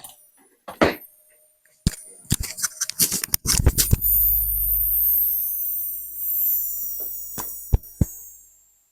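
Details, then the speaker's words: 400 W computer power supply, opened and powered: after handling clicks, a thin, steady high-pitched squeal over low mains hum, traced to a faulty electrolytic capacitor. "Будем включать и прислушиваться откуда именно этот писк идёт"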